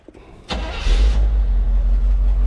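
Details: 1975 Chevrolet C20 Scottsdale V8 with Quadrajet carburetor, first start in nine years, not yet tuned: brief crank, then catches right away into a deep, steady idling rumble; starts and runs fine.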